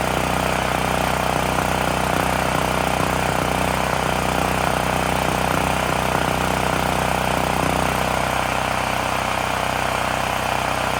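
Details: Extreme Contractor Series 6,500 W (8,500 W surge) gas generator bought almost 20 years ago, revived after long storage; after tightening a bolt that cut vibration, steady even single-cylinder drone at constant speed, no misses or surging. Normal running.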